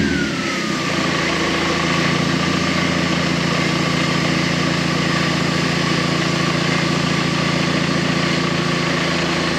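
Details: K11 Nissan Micra turbo time attack car after swapping in a replacement crank sensor (old one damaged when the trigger wheel came off the crank): settles into steady, even idle with faint high whistle easing down early; runs smoothly.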